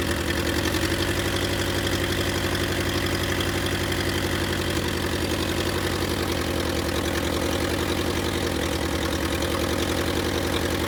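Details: Willys CJ2A Jeep just revived, running briefly with no coolant flowing, distributor not yet clamped: uneven, lumpy idle with wandering beat and low exhaust throb, a little rough because the idle adjustment is off.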